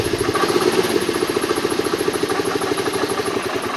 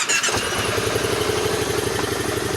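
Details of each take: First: 2010 Kawasaki Teryx 750 V-twin, cold start: won't idle unless given throttle, pulses unevenly then dies; runs fine once warm after about 5 miles; new plugs, coils checked; found tight intake valve clearance. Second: 2010 Kawasaki Teryx 750 with hard starting and no idle, after fixing tight intake valves and adjusting them to spec: brief crank, catches at once into an even, steady idle; normal start, no more sputtering.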